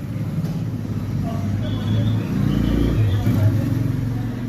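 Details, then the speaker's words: LG washing machine spinner loaded with clothes: heavy, uneven low rumble thumping about three times a second, drum leaning right and sagging; spin tub imbalance. "कपड़े का लूट पड़ने पर की आवाज़ बहुत ज्यादा तेज आने लग रही है ऐसे चलने को उतनी आवाज़ तो नहीं कर रहा है लेकिन देखिए तिखा डिसबैलेंस बहुत ज्यादा चल रहा है"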